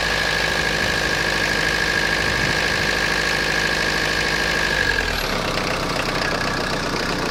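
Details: Citroen Jumpy/Dispatch XUD9TF diesel idles with uneven knocking and a steady high whistle dropping out partway; rough idle, owner suspects air ingress into fuel line despite fuel filter change; cause unconfirmed.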